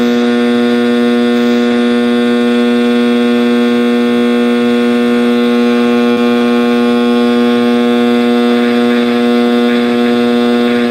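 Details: 1960s General Electric black-and-white TV, back off, warming up after rewiring: a loud, steady, buzzing hum with a high howl riding on it, unchanging; owner suspects an internal capacitor, unconfirmed.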